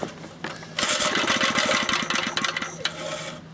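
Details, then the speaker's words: Old Briggs & Stratton 2 hp lawnmower engine after cleaning the points: quick rattly firing for about two seconds, then fades and stops; dies after starting, owner suspects the ground wire vibrated against the carburetor body. "I figured out why I died there's a little of grounding wire and there and the grounding wire was up against the end there body of the carburetor I think it just vibrated itself over that way"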